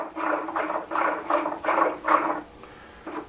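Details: Gravely mower blade spindle, removed and turned by hand: gritty, rasping grind in short bursts from worn, rough bearings, which are then replaced.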